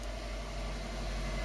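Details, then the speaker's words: 2002 Subaru Impreza WRX after clutch replacement: smooth low engine hum stays even as the clutch is let out in first and slows the motor, with no chatter, slip whine or grinding; the new clutch grabs properly. "Okay, I'm letting out the clutch. It should slow down the motor. Oh, perfect. It works good. It's grabbing great."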